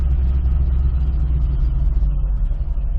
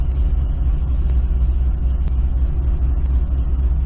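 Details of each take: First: 2005 Chevrolet Corvette with a supercharger, idling in gear: a lumpy, uneven low rumble with a hitching, irregular beat; the misfire comes from a spark plug wire that was not plugged in. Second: 2005 Chevy Corvette V8 after reconnecting unplugged spark plug wires: deep, steady, even idle rumble with no stumble or misfire; rough idle fixed.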